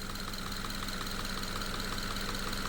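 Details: Subaru FB engine repaired after losing oil pressure post oil change. The pickup screen is removed and only aluminum debris was found, likely from the cam journals, with no brass or steel. Steady idle, light even top tick, no deep knock; bottom end healthy.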